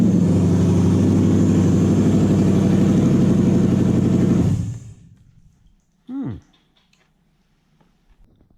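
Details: Toyota 1UZ-FE non-VVTi V8 (UCF20), manual, JDM ECU on stock loom with plug-in relay setup, first start: even regular V8 burble at steady idle, then switched off cleanly; runs properly, not yet heat-cycled.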